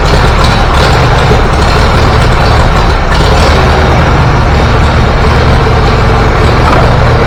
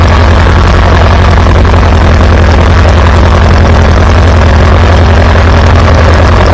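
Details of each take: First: Antique Farmall B tractor, first trip outside: running hot with a ragged, uneven beat as spark fades; weak ignition coil breaking down, confirmed when a new coil restored strong spark and smooth running. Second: Farmall B tractor running after a weak ignition coil was replaced, restoring strong spark; steady, even low exhaust beat with no misses or stumbles. Good oil pressure. Normal running.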